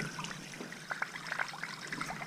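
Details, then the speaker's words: Newly installed Navien NCB-240 boiler at start-up on baseboard heat: irregular spitting, sputtering and gurgling of air and water out of the purge hose. Trapped air is bleeding out of the heat loop, which has many floor-to-ceiling runs. "you can hear water in the pipes you still got air so she's purred and slowly but surely"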